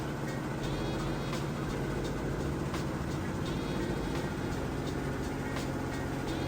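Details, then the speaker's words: Samsung VRT (vibration reduction technology) HE top-load washer near full speed: a steady, even hum with a fast regular rhythm. Operation is smooth, with no knocking or grinding; it is tested and working. "Just about full speed here. Part of that HE designation is how fast it spins during the rinse and final spin."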